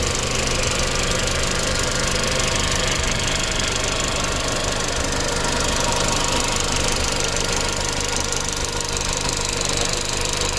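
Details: Audi B7 A4 1.8T, tuned, metal injector cups, new cam chain tensioner, new purge valve, upgraded fuel pump, no codes; fast light ticking about three per second only at hot idle; suspected low oil pressure to the tensioner, injectors questioned.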